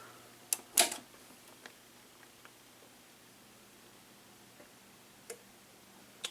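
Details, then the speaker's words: Pioneer RT-1020 reel-to-reel tape deck: a sharp click as the power switch is turned off, near silence with faint hum, then a second lone click about five seconds later, a relay dropping out late. "That was when I turned the power switch off. After about 5 seconds or so, you hear another one click."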